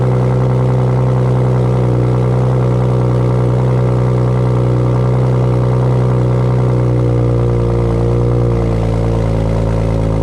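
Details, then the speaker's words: 2008 BMW 335i E92 with FI exhaust, cold start: deep, steady exhaust drone with even raised cold idle, no knocks or misses; healthy. "Sounds really good. Sounds really, really good."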